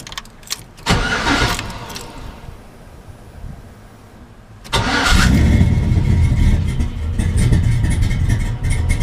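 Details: Chevy K10 V8 started after axle vent line and broken wire repair: short quiet pause, cranks, catches cleanly and settles into steady, even idle; healthy start.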